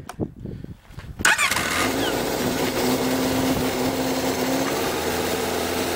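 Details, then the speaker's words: 2003 Yamaha RX-1 snowmobile, stored a couple of years with dirty carbs: starter spins, engine catches and settles into a busy, fairly steady idle with no rod knock; typical RX-1 clutch rattle at idle. "ill show you that it runs doesn't have any rod knocks or noises in the motor"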